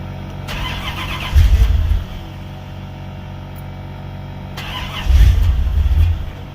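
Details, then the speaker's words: Chevy Caprice Classic with swapped LT1 engine, cold outside, previously hesitating and backfiring under throttle, now won't start; fuel pump primes then cuts off; two bursts of steady cranking without catching; crank no start. "So actually going to drive it yesterday, and I came back out, and now it won't start."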